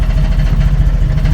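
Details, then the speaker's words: 1990 Jeep YJ 4.2L carbureted six, 5-speed, after a new fuel pump failed and carb problems returned; starts unaided but idles loud, loping and stumbling as if on half the cylinders; owner suspects flooding, may check plugs or reset carburetor. "it still sounds like it's running on half the cylinders if even that definitely sounds flooded"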